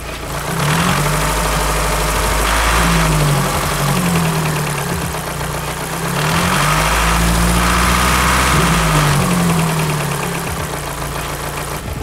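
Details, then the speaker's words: Volkswagen Lupo GTi with noisy head revving between idle and below 2000 rpm; light ticking rattle appears around 1200 rpm, smooths out, then returns; hydraulic valve lifters rattling. "then the rattle comes back and i don't know what happens after that because you lose it through the engine noise and everything but they're definitely rattling"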